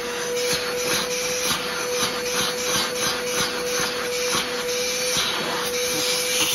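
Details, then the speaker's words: Trash-picked older Bissell PowerForce Helix Turbo 68C71 upright vacuum, suction test: motor hum with steady mid-pitched whine and scratchy, uneven rubbing; has suction but sounds rough, owner suspects the motor needs a cleaning. "it does have suction doesn't sound the greatest but it I think it's doable I'll do have to I'll have to do a little bit of motor work to it uh probably just a simple cleaning all to fix it"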